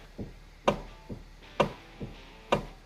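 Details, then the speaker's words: Kia Ceed with electric power steering: repeated knocks about twice a second, alternating heavy and lighter clunks, when turning the wheel. The noise seems to come from the power steering motor on the steering column. Cause suspected, not confirmed. "so the customer complaint on this car is that when you're trying to use your power steering when you're trying to turn that wheel you're hearing a horrible noise like"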